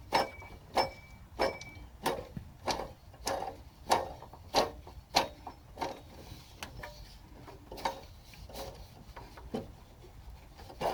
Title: BAD BELT TENSIONER NOISE (ENGINE OFF)